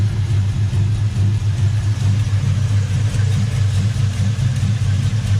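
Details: '95 Chevy 1500 freshly LS-swapped to a 5.3 V8 from a 2001 Tahoe, NV3500 5-speed, tuned, in neutral: deep even V8 burble at steady idle, no knocks, misses or stumbles; healthy.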